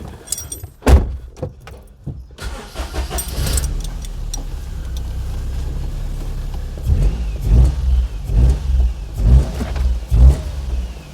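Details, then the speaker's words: Perodua Kenari after alternator replacement and re-seating the drive belt on its pulley: engine catches and idles evenly with clean throttle blips, no squeal or chirp left; running normally. "That sounds better."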